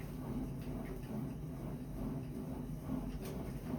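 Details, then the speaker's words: Sunny SF-E3911 cardio stair climber after reassembly and spraying lubricant on the metal rails the foot-pad rollers run on: low, even rumble with no clicking from the rollers, quiet smooth operation. "Sounds as good as the day I bought it."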